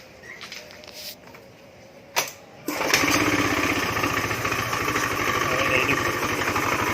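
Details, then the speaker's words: Honda Beat FI scooter with rough starting, after injector check, new spark plug and fuel pump, no MIL codes: cranks, catches, runs ragged and won't hold idle; throttle body suspected dirty, rough CVT noise also noted. "setelah hidup Nah kan dia nggak mau bertahan Idol next begini suaranya"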